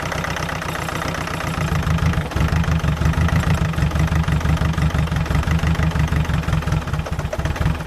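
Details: Land Rover Freelander 2.0 TD L-series diesel farm vehicle turning over with a low rhythmic chug of about three beats a second but never catching; a no-start, with a pipe later found leaking.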